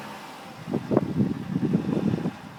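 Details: 2004 Subaru Outback Sport 2.5 L DOHC at idle: a soft, low diesel-like dugga-dugga pulsing under some wind noise. The cause is unknown.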